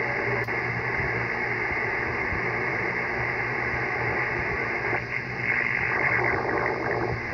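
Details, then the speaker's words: Icom IC-7300 on an end-fed dipole: steady hiss and buzz, a constant raised noise floor across all bands in early hours until about 7 a.m., persisting with house power off on battery; local interference source not yet found. "this noise usually ends around 7 a.m. and you'll hear it it sounds like an interrogation signal want to get your opinion on it pretty annoying seeing the screen like that"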